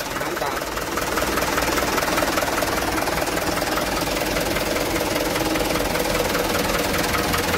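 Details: Mitsubishi Canter truck after the starter motor was removed and refitted because of a damaged starter bendix gear: steady diesel clatter at an even idle, no grinding or misses; starts and runs smoothly.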